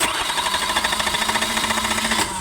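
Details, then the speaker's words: Newly overhauled Isuzu 4BD1 diesel, relay bypassed and starter wired manually with extra grounds added: starter churns steadily at about nine compression pulses a second but never catches; owner suspects no fuel or a weak starter. "Ayaw. Ibig sabihin may diferensya. O walang krudo o mahina ang minor."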